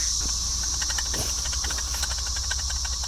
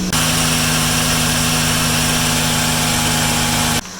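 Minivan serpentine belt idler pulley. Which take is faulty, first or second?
first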